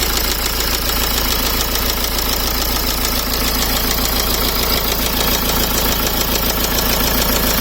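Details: Engine knocking at idle on a 2008 BMW E60 520d M Sport diesel: steady diesel idle with a sharp, fairly regular knock, about three to four per second, above the clatter; cause undetermined.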